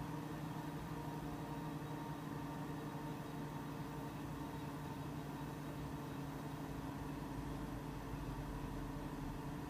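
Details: Mac Pro 1,1/2,1 with 48GB using 8GB DIMMs under benchmark: steady loud fan roar with constant hum tones, fans about double usual speed though temperatures a few degrees cooler.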